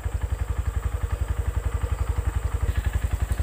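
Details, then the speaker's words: Used Yamaha motorcycle (likely Verza 150) checked before buying, no smoke: even low thumping about four beats a second, no ticking or rattle; normal idle. "Nah contoh ini adalah motor Yamaha masih bagus ya suaranya masih halus tidak ada bunyi gemericik di mesin"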